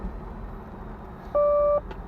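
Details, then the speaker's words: 1986 Nissan 300ZX (R31) digital voice warning system: a steady electronic chime of about half a second in a quiet interior, followed by the spoken "parking brake is on" warning after the door-open announcements. "right door is open right door is open right door is open parking brake is on"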